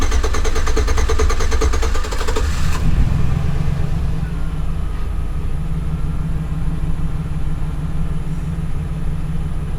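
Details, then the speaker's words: 2008 GMC Sierra, warm restart 20 minutes after driving, after a new gas cap: nearly three seconds of steady starter churning before it catches and idles; hard cranking when warm persists, owner suspects the clogged in-tank fuel pump filter. "so usually it usually cranks good in the morning but then if you drive it around for a little while it has a hard time cranking"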